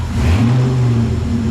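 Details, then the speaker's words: 1958 wagon (Nomad) build, engine warm, first runs: deep, even rumble rising smoothly with throttle, no knocks, misses or rattles; healthy engine pulling cleanly. "I can't tell you how excited I am. This thing is purring."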